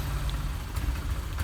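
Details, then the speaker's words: Honda Vario 125 injection scooter, hard to start on cold mornings; at full throttle the engine gives a low, uneven chug that stutters without power until warm. "Intinya ini nggak ada tenaga teman-teman ya. Ini saya gas mentok pun dia nggak lari ya, tetap berebet-berebet aja kayak gitu."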